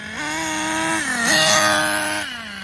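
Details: Schumacher Menace nitro RC car on new tires, last of its nitro. High buzz climbs, sags briefly, then surges and falls back, running uneven at the top; the high end needs tuning, and excess oil in the exhaust was ruled out. Poor running at high revs.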